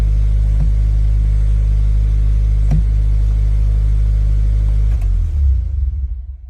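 Low steady engine drone with a sharp tick roughly every two seconds over it; abnormal clutch noise, cause not identified.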